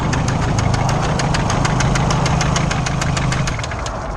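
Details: Freshly built, untuned race car engine after 600 miles: loud, sharp, evenly spaced rod knock about three per second over a rough idle; a connecting rod bearing has spun, still drivable home.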